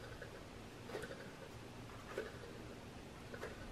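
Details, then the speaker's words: Ninebot Mini Pro hub motor, turned slowly by hand: one sharp tick about every 1.2 seconds, once per turn. A loose internal part is catching the wiring inside the motor. "okay so this is a mini pro motor a 9 volt mini promoter and i want to show you it has a noise by the way someone tried to change one of the connector never mind but it has a noise and i will show you what is the cross and how to fix it"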